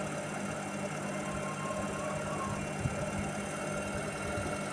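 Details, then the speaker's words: IFB Senorita Aqua VX front-load washer after belt refitted, previously thudding each drum turn: smooth steady motor and drum whir at fast spin with no rhythmic thud; drum runs normally. "இப்போ அந்த sound இல்லை, நீட்டாக ஓடுது, எந்த கம்ப்ளைண்ட்டும் கிடையாது. Spin நல்லா ஃபாஸ்ட்டாக ஓடுது, அந்த இஷ்யூ இல்லை."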